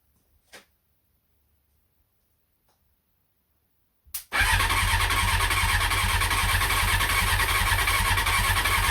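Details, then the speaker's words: CBR600F first start after revival, starter bridged and ignition hotwired, half choke, fuel from dummy tank: starter click, engine catches and runs roughly with a ragged, uneven beat, not settling to idle; short-lived run. "well short-lived try that again"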